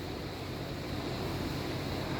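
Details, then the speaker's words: Veichi AC10 1.5 kW inverter after repair of error E.OC3 by replacing a shorted 20M65DF2 MOSFET, running during output voltage testing: a steady, airy whir at one even level with no rattle, so the cooling fan runs normally. "kedengaran bunyi kipasnya ini setelah selesai ya"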